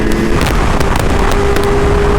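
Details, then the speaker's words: Motorcycle moto-vlog audio from a GoPro Hero 11 mic on a 636 at about 57°F: heavy wind and engine roar broken by sharp crackling pops as the mic input clips; a small extension adapter fixed it. "if you're trying to record Moto Vlogs With your GoPro mic and it sounds like"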